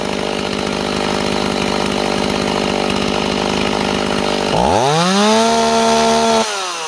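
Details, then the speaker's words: Warm Stihl 028 chainsaw after new crankshaft seals: runs steady, then revs swoop up and hang without settling despite tuning; surging, owner suspects an air leak between carburetor and intake boot, not confirmed, pending vacuum/pressure test. "It's acting like air leak to me. We'll find out. See how it's constantly changing no matter what we do with our tuning?"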